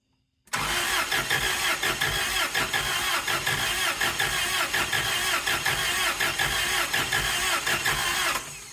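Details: Toyota 3K-capacity propane forklift, 4Y engine reportedly once seized: starter cranks steadily with even compression beats for about eight seconds but never catches; cause not confirmed, owner suspects it needs a proper propane cylinder.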